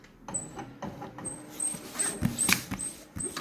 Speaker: let's see if we've made that one look good and you can hear really loudly that the scanner is squeaking which is annoying